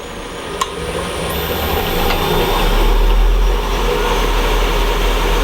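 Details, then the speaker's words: Wood lathe at 3000 rpm, tool held lightly on the tool rest taking light cuts without forcing. Steady motor hum under an even cutting hiss, no chatter or catching; clean cut. "I'm not forcing it in though. Just like that. It's taking nice, light little cuts."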